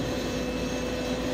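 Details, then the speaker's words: Belt-driven vibrator on a gravel truck's dump box, running to shake the gravel down: steady even buzz with a fixed tone, no knocks or surging; vibrator running normally. "There's a vibrator on this that vibrates the box. There you go. You can hear that."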